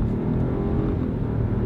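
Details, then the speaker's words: Korean-built small SUV with a 1.3-liter turbo engine and all-wheel drive, accelerating from a stop: smooth rising drone with no knocks, rattles or whines; fairly quiet for a tiny engine, and the transmission shifts smoothly. "really for a 1.3 liter engine that's not bad in an suv doesn't make all that much noise for a tiny little engine"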